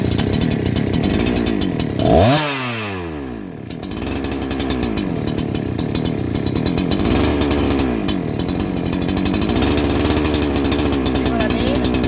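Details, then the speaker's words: Holzfforma G288 88cc chainsaw (Husqvarna 288 copy), new, 24-inch bar: two-stroke idle races up and sags unevenly, never settling; air leak traced to improperly seated clutch-side oil/crank seal, fixed by tapping it in. "i got that i got past the bogging and everything but the thing is idling erratically just everything every part of that is mimicking that of an air leak"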